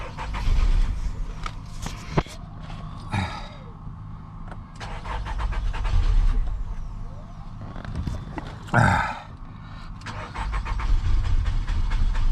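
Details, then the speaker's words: Nissan Altima 2.5 with crank-no-start and fuel sensor and fuel level circuit codes: fuel pump now kicks on, but repeated cranking gives uneven bursts of firing that die away; engine stumbles, won't hold idle, another problem remains. "Oh man, come on, baby. There's still another problem. You guys hear the fuel pump kicking on. All right, guys, it looks like we might have another issue."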